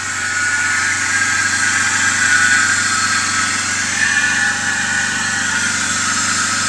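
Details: BMW E39 525i at steady idle: thin whirring, wavering squeal from the belt drive, caused by a defective idler pulley.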